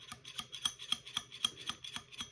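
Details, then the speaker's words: Razor MX650/MX500/SX500 dirt bike front fork pumped by hand after adding metal and rubber washers: only light, muffled ticks about four a second instead of the stock metal top-out clunk. Some noise still remains on hard rebound after deep compression. "the noise is definitely dampened and reduced you can see I'm making the same motion here"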